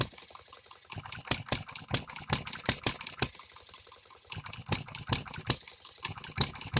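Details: Economy hit-and-miss engine, new shop-made piston and rings: sharp irregular bangs in short bursts with quiet gaps, uneven firing; first time it keeps hitting and missing, but still needs tweaking.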